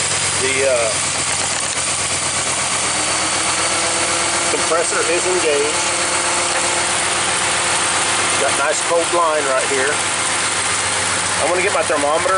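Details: 2015 Ram 1500 at idle after repairing A/C compressor clutch connector (clutch itself fine): steady idle with even fan rush, no clutch chatter or squeal; vent air about 50 degrees, A/C working normally.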